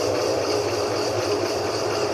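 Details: GE 15 kg washing machine that had been banging against the cabinet sides, after repair, at full spin speed. An even, steady whirr with no knocking against the sides; normal spin.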